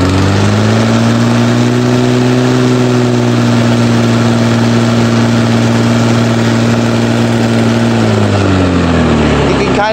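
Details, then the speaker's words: 1996 Toro commercial two-stroke mower, model 22040, normally about 3,400 rpm cutting; loud buzz sags in pitch, sluggish hesitating response, slightly reduced after governor adjustment; owner says not rod knock, suspects the so-called Suzuki knock. "how it hesitates a little bit and uh now with the governor adjusted it's not hesitating quite as much um but it is still doing that"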